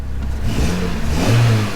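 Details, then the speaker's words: Fiat 500 bought from auction, petrol: engine starts and revs up cleanly, pitch rising and falling smoothly with no knocks or ticks; engine sounds healthy. "it sounds alright In fairness and not too concerned about the engine side of it"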